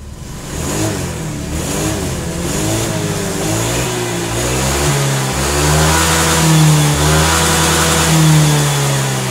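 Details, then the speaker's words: Honda Vario fuel-injected scooter (125/150/160) being repaired for slow, delayed throttle response: after the fix, revs climb smoothly and evenly with each blip of throttle, no stumble or hesitation; engine speed now rises in rhythm with the throttle. "for the engine rotation with this gas it has to be in rhythm, yes and in this section it also increases, well this increases in the kilometer section"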